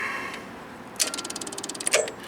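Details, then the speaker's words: RV generator, 5 A fuse in the circuit: one sharp click then light ratchety clicks, no cranking; owner says it is not a dead-battery click but a starter or solenoid type click and suspects the control board; clicks but won't crank. "all it does is click and it's not like a dead battery click it's more like a starter type click or selonoid or something"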